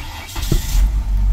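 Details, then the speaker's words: 1999 Ford Escort, crank-no-start timing issue fixed with new water pump, tensioner and belt: short crank, then catches and settles into a steady even low rumble; starts cleanly and runs in time. "she started over so that's all we wanted to see is that she cranks up and you heard her she cranked up she's running she's in time everything sounds good"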